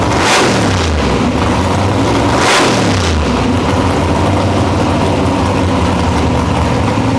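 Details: Nitrous Nova big-block V8 after replacing two pistons (one was found burnt): blips twice, each rev falling back smoothly, then a steady, even idle with no knocks or misses.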